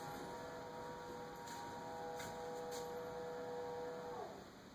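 A steady tonal hum holds for about four seconds, then slides down in pitch and fades. This is an abnormal fridge hum of unknown cause.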